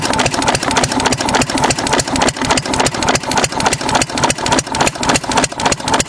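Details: 6 HP Witte diesel-electric engine, about 80 years old, running again after about 30 years following valve work, oil change and fuel-system cleaning; steady, even thumping about three and a half beats a second, no misses or knocks; starts easily, healthy normal idle.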